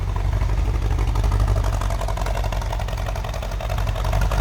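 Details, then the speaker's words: 1965 Ford Mustang Fastback, 289 4-barrel V8 with Edelbrock carb and intake, warmed up, heard from the rear; deep even idle with slight rhythmic lope from a mild cam, smooth and healthy. "289 4-barrel. Does have an Edelbrock carb, Edelbrock intake. Sounds like we got a little bit of cam on there."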